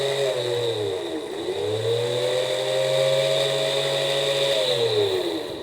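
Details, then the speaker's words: Mercedes-Benz electric engine fan motor, removed and bench-run on a 12-volt booster during a reliability inspection: a steady high whine with a rough growl as it spins up. Worn fan motor bearings. "have any of you heard a similar noise like that in the front of your engine well it's obvious that it's the motor bearings"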